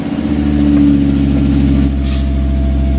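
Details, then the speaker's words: Water-damaged Fiat Stilo Abarth after installing new NGK BKR6EZ spark plugs and coils, engine fault still stored, warming up: steady even low idle, constant hum, no misses; a ticking sound is noted. "At least, guys, I know it's running. So that's safe to say."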